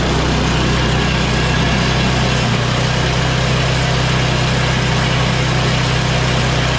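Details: MTD Yard Machines 24-inch two-stage snow blower with 8 HP Tecumseh Snow King engine after tune-up with new carburetor, fuel line and oil change: steady, even low idle drone with no stumbles or hunting, running clean and healthy.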